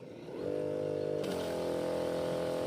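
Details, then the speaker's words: Repaired farm spray pump with new 135 psi motor (replacing an 80 psi one), regulator half open: spins up quickly to a steady buzzing drone that settles and holds even; full pressure, no drop. "એટલે આમાં pressure તો ઘટે જ નહીં. તમારે તેખડો આપવો હોય ને તો ફૂલ પ્રેશર જ હાલે."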